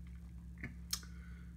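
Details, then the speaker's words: Old speaker on a 2008 Mac Pro computer, first mistaken for the hard drives, which tested fine: two sharp ticks a third of a second apart over a steady low hum, from the aged speaker membrane flexing; turning the speaker volume off stopped it. "speakers when they get old the actual speaker material self and the magnet will flex the that membrane inside the speaker back and forth it cause like a ticking sound"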